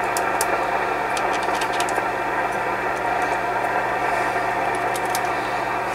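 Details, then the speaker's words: Yaesu FTDX 560 tube transceiver from an estate sale, powered back up on the bench: steady hum with random sharp scratchy crackles from a tube, indicating a dirty tube socket. "You hear that noise in the tube right there? That's the indication of a dirty tube socket."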